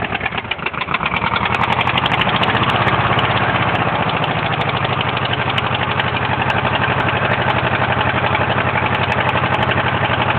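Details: 1974 Super engine cranks, catches and settles to idle with a hard, even knock about four times a second in time with the engine: rod knock.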